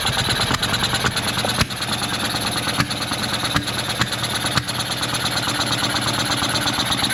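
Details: Soviet Ural sidecar motorcycle engine started after electrical parts were cleaned: busy, uneven patter with sharp irregular ticks; owner suspects an electrical fault from a battery short circuit, crankshaft position sensor to be tested.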